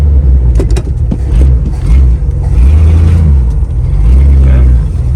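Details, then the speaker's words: 1977 Mercury Cougar XR-7 V8, carbureted, on test drive after C4 transmission install: lumpy, uneven running with low surging rumble and dips, then dies; suspected trash in carb, bad fuel or poor gas tank, possibly out of gas. "It just died on me. It'll run, it'll start up just fine. I don't know if we've sucked trash up in that carb or if the fuel is just that bad, but it ain't happy to be running."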